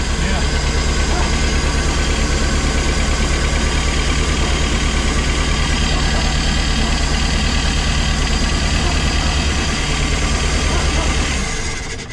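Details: Pinzgauer first start in about three years after fuel pump replacement: steady, even idle with a deep regular beat and no knocks or stumbles; engine running smoothly and healthy.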